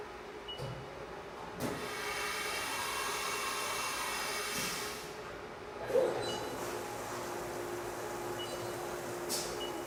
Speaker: Okay, so the cut we heard there was unstable. That was chatter.